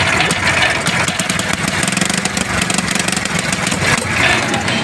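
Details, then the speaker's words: 70cc motorcycle single-cylinder engine at idle stumbling and surging unevenly, beats dropping out irregularly before it stalls; misfire problem, traced to a shorted spark plug. "ये बंद हो गई। यानी कि यही missing का मसला है।"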